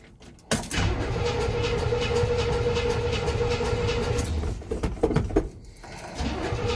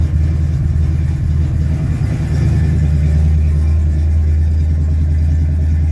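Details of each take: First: 1967 Chevy C10, odometer about 5881, cold start after sitting since Wednesday (2–3 days): a short crank, catches quickly and settles into an even steady low rumble with no misses or knocks. Healthy cold start. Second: 1967 Chevy C10, cold start after sitting 2–3 days: a deep, loud, uneven rumble with an open bark at cold idle; the owner says it is noisy and needs a muffler. Loud exhaust with no muffler.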